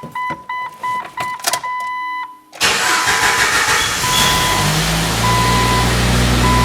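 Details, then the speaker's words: 1997 Jeep Wrangler 2.5L cold start heard from inside, before a cat-back exhaust install: chimes, then a raspy, uneven, puffing idle. Exhaust leak, apparently at the donut gasket. "okay got a pretty good exhaust leak coming from coming from the doughnut down there pretty much only sounded like it's coming from that donut let's see okay so it kind of sounds terrible"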